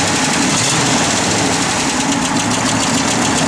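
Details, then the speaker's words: 1972 Oldsmobile 442, matching-numbers 350 ci Rocket V8, 4-barrel, factory exhaust manifolds, dual exhaust, just started and idling: quick even ticking puff over the idle; small exhaust manifold leak on one side, to be repaired. "Yeah, you hear that little exhaust leak on this side. We will have that taken care of."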